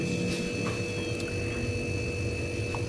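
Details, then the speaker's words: Freezer box that sometimes freezes and sometimes thaws, swollen capacitor on digital PCB module, jumpered: compressor draws about 1.9–2.2 A, steady even hum without clicks or rattles; compressor normal, fault is the thermostat/temperature control. "Ini artinya untuk mesin kompresor di sini normal ya, normal, nggak ada kendala."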